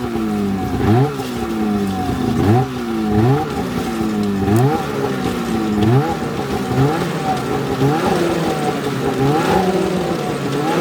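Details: 2007 Polaris 600 HO LX Cleanfire snowmobile, before tear-down, revved on stand: two-stroke buzz climbing and falling in quick, crisp, even blips; engine revs freely and sounds healthy.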